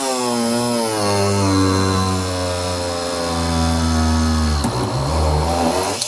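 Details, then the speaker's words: Parkside PFBS 12 C7 cordless rotary tool with a 3.5 mm drill bit at speed 4 in 3 mm plexiglass, after stalling at speed 2 for lack of torque: a high whine sags slightly as the bit bites, then holds; it cuts through normally. "Là, ça passe. Pareil dans le bois vitesse 4."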